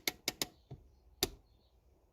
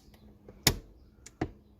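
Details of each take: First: Honda Accord handbrake partway through cable adjustment: ratchet rattles off about seven quick clicks in half a second on one pull; lever travels too far, cable too loose and needs tightening. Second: Honda Accord handbrake ratchet giving about five crisp clicks as the lever is pulled up after cable adjustment; normal engagement, not adjusted too tight.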